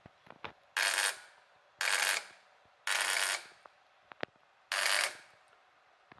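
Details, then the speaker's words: 1990 Suzuki VX 800 motorcycle suddenly won't start: harsh rasping bursts on each starter press, about once a second, engine never catching; cause unknown. "Bonjour, j'ai un 800 VX Suzuki de 90 et de jour au lendemain, je comprends pas, il veut il veut plus démarrer. Il me fait un bruit très bizarre."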